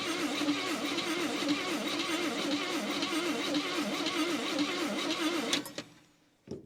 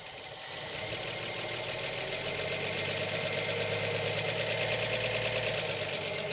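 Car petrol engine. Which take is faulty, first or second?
first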